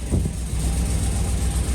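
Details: 2004 Chevy Colorado with cammed 5.3L LS V8 and hidden turbo kit: lumpy loping idle running on only four cylinders because half the spark plug wires were left unplugged.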